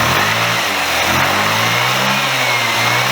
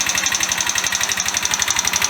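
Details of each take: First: Chinese GY6 125 cc scooter after an engine rebuild, with the carburetor's unknown standard main jet swapped for a 98: small single revs up cleanly with smooth rising pitch, pulls strong at the top and settles evenly; fuelling sounds right. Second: Free Chinese GY6 125 cc scooter after an engine rebuild with new cylinder head: fast, sharp metallic ticking roughly ten per second over the idle; owner hopes it's top-end valve clearance or the new head bedding in, not the bottom end.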